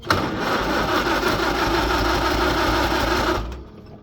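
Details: Farmall H tractor cranking after being flooded by choking; out of gear, choke set, throttle up, gas on; carb drained of gas but engine still won't fire. Starter churns about three to four strokes a second for three seconds, no firing: cranks, no start.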